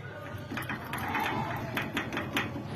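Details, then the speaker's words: Irregular sharp clicks and light knocks as a worn tie rod end is rocked by hand, the source of the clunk heard when steering left or right; the rack is still firm, so only the tie rod gets replaced. "Narinig niyo mga boss itong ti lang pala ang pinanggagalingan ng lagutok kapag lumiliko ng kaliw't kanan."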